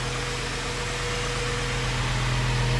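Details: 1996 Ford F150 4.9L idling just after first start following radiator replacement and fluid work: steady, even low rumble with no knocks, misses or rattles; likely spilled PB Blaster smoking on exhaust, engine healthy.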